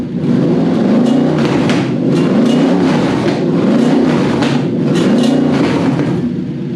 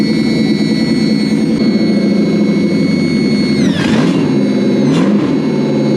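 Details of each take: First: Toyota/Lexus V8 on a newly wired Link Monsoon ECU after a throttle stop bump: idle surges up and down roughly every 1.5 s, then steadies; suspected cause is the ECU switching the fan on at fan temperature with no fan fitted, upsetting idle settings without that load. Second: Toyota/Lexus V8 newly rewired to a Link Monsoon ECU: steady smooth idle with a constant whine on top, then two quick blips that rise and settle cleanly; after the rewire it now runs like it should.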